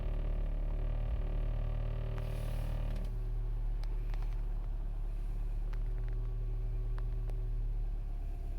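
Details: 2008 Mini Cooper S R56 with 123,000 miles, cold start after sitting 2 days at about 50°F: hard starting, then an uneven deep rumble with a loping beat about three times a second. Rough cold idle, cause unknown to owner.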